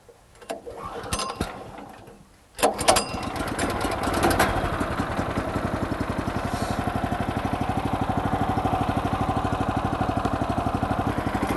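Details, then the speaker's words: Woodland Mills HM126 portable sawmill, 9.5 hp Kohler engine, possibly with a little choke: pull-start effort, then the single-cylinder catches and settles into a steady, even putter around three beats a second; healthy start. "We may need a little bit of choke. Turn it on."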